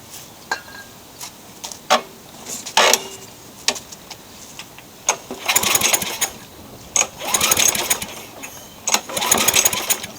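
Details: Craftsman mower with engine swapped in for the blown Tecumseh, wrong CJ14 plug replaced by Champion RJ19LM: repeated pull-cord cranking with a rasping spin, never firing; no spark, owner suspects grounding.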